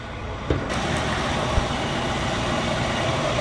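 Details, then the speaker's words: 1968 Ford F100 engine idling, first run after sitting a while. Low even idle, soft steady rumble, no knocks, misses or ticks; quiet running and running like it should, normal idle. "She's a quiet running old girl, but I'm really pleased. Really pleased in how this engine has I mean, it's just a good running engine."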